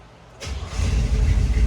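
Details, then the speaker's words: 1937 Ford engine starting after revival on the farm, key switch: brief crank, then catches and settles into a deep, steady, even run taking fuel; clean healthy start, gauges working. "It starts right up. Runs nice. Taking the fuel. Sounds good."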